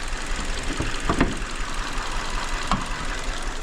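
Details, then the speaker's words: 2019 Hyundai Elantra 2.0 with check engine light and misfire codes: uneven, lumpy idle with occasional stumbles and thumps; cylinder 3 misfire traced to a faulty ignition coil. "ممكن يصيده بعد شوي اسمع هنا هذا مسفير"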